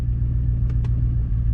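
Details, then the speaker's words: 2000 Chevy Tahoe with recurring misfire (previously fixed with new computer and injectors), injector cut test at idle; low, uneven rumble stumbling worse with this injector disabled, showing the cylinder was firing; rough idle with one injector disabled. "so right now she's missing up worse worse worse worse"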